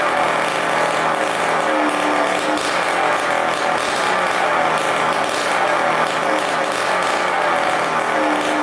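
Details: 1987 Kawasaki KX125 two-stroke after fixing a fuel leak, run without its expansion pipe: loud, steady, crackly running with no stumbling or lean surging, smoking the right amount, no leaks; runs fine.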